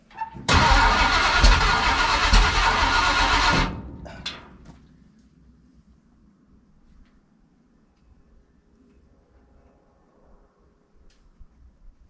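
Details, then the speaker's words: Ford big-block 460 V8 in a 1956 F-100, first start on open headers with no mufflers: catches and barks loudly for about three seconds, then fades and dies, starved of fuel because the mechanical fuel pump is no good and needs replacing. "all right well the fuel pump on the truck the mechanic pumps no good so I'm headed to O'Reilly's right now to go pick one up she ran for a couple seconds and then the fuel pump just went to the pooing"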